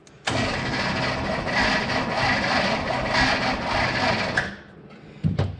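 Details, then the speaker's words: 1967 Chevrolet Impala, 283 V8, Powerglide, sitting since 2005: slow, labored, uneven cranking for about four seconds without catching; starter failing and can't spin the engine properly, owner considers pulling plugs to lubricate cylinders. "No. Yeah. Worse. It's not good. Not good at all. I really don't want to take the starter off."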